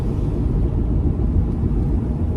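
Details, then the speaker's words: Pontiac Firebird restoration on its first test drive, coasting: deep, steady growl from the rear, unchanged under hard acceleration so ring and pinion seems unlikely, louder when swerving right; diagnosed as a failing driver-side rear axle bearing. "Okay, I think we got an axle bearing going bad, and it's got to be at the driver's side."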